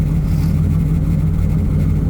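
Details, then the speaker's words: 2004 Mazda RX-8 with a 2006 Ford 4.6L 3V V8 and true dual exhaust, warm day, intake temp 70°; deep steady even burble at idle, no misses or ticks; normal idle. "I really love the new sound uh you know went to True two exhaust dual exhaust rather than dumping into a single"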